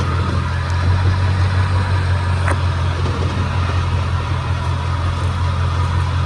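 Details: Chevrolet 10-bolt rear end: a deep, steady drone and hum while running, checked by hand at the transfer case and the back of the differential; a bad rear differential is suspected, internal cause unknown.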